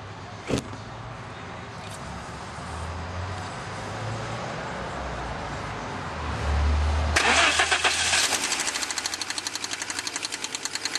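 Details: 1987 Audi 4000S KX five-cylinder at startup: the engine catches and settles, then a sharp, fairly even tick of about four per second comes and goes despite adequate oil; owner suspects a lifter tick, cause unconfirmed.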